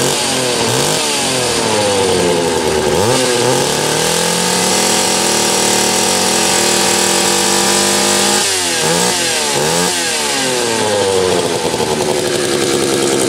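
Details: Homelite 330 chainsaw with few hours, after fixing a kill-switch ground wire broken by the factory crimp: crisp two-stroke buzz climbing and falling cleanly with each blip, then holding high and steady without bogging; normal running, saw ready to go.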